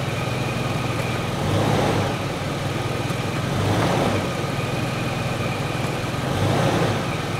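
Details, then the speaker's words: 2006 Toyota 4Runner idling with a thin steady whine swelling as gears engage; transmission pump howling from seriously low fluid. "I am seriously concerned now cuz I hear the transmission pump howling I usually mean kind of like a power serum pump that is low I hear it howling which means uh we are seriously low"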